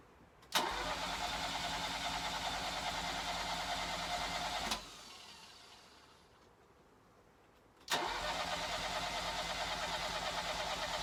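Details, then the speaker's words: 1983 Ferrari 308 QV under rebuild, Bosch fuel injection, very cold engine on a cold morning, airbox off: two bursts of steady fast cranking, about three turns a second, never catching; crank no start. "well as you can hear we are back to nothing again um car's very cold like I say it's cold outside"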